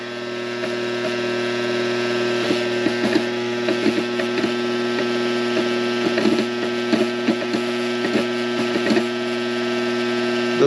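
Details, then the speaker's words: Coleman Presidential II furnace blower motor runs with a steady hum and uneven ticks and rattles; there is a lot of slack, and the owner suspects worn bushings. "it doesn't sound real good"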